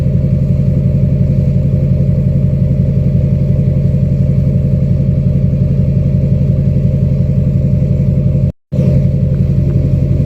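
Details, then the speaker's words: 2006 Chevy Silverado LBZ Duramax diesel with DSP5 switch and tune, idling after install of a 5-inch straight pipe with flow-through muffler and 8-inch tip, cat removed; recorded near tailpipe: deep, even, throaty rumble about two beats a second, ground vibrating; healthy normal idle. "And the video doesn't do justice, but the ground is like vibrating near this uh tip. It's really uh awesome near the tailpipe. So, the 8-in tip definitely makes it sound uh louder or not louder, but deeper, uh throatier."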